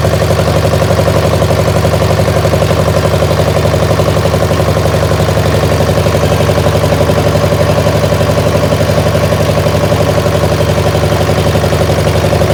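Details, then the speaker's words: Massey baler's twin-cylinder diesel engine, under repair: a steady, even thump about 140 times a minute with no second beat between. It is firing on only one cylinder, the one with the original injector pump. "But if I say it again, we got it to fire on 1, and it's definitely firing on 1 cylinder."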